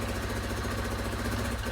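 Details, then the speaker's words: KTM 690 Enduro R single-cylinder, first kick start after rocker arm replacement and new battery, not started for 7–8 months, in neutral; even, steady thump at idle with no knocks or ticking, idling normally (valve clearances not yet checked). "Now, the bike hadn't been started for over, well and truly 7 or 8 months. It seems to be idling okay."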